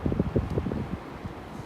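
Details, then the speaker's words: Split AC indoor unit: fluttering, uneven low whirr with rapid bursts that then settles, a stop-start "phar phar" sound with vibration; unit loose on its mounting knocking against the wall. "आवाज फर फर फरर फर फर रुक रुक के आवाज कहां से आती है और कहां से वाइब्रेशन होती है मैं सारा आपको बताने वाला हूं"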